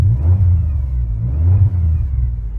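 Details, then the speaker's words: Supercharged Pontiac with 3800 engine and Borla exhaust, jump-started, typical valve cover leak, recall not done; runs smooth and quiet, revving with a thin supercharger whine rising and falling with rpm; supercharger working properly. "clearly hasn't had the recall done yet where they pull this cover off so I'm glad cuz I like the cover run smooth and quiet oh you can hear that supercharger"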